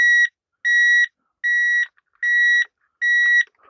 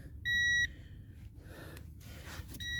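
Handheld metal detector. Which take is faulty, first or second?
first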